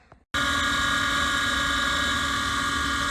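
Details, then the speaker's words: Legacy gas furnace mid heat cycle before repair: loud, steady high-pitched scream at constant pitch from startup; worn inducer motor bearings causing whine. "all right so we're back and they are in the middle of the heat cycle before listening to that motor screen i hate to shut them down but uh need to get it fixed"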